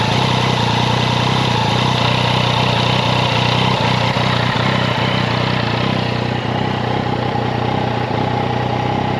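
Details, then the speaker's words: Yamaha XSR900 CP3 triple idling in neutral, clutch not pulled, before adjustment: light metallic chatter about four a second; cam chain noise common to CP3 engines, fixed by adjusting the tensioner with a 3 mm hex. "那没有拉离合器的时候，声音会比较明显。那这边会感觉有一个很大的异音。"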